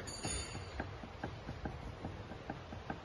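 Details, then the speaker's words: Ferrari 360 Modena on lift during service: sharp dry clicks about twice a second as the front track rod end is rocked by hand; the joint has play despite looking new. "know if you can hear that clicking but that's uh the joint in there has um has got some play in it"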